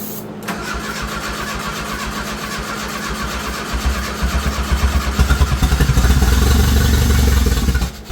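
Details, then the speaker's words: Turbo Dodge Daytona (1985 Daytona Turbo or 1991 Shelby Daytona) with no exhaust fitted: it catches and runs raw and loud from the open pipe, rising to a firmer steady beat with no misses. Normal running without exhaust. "Ain't got no exhaust. Cut the exhaust."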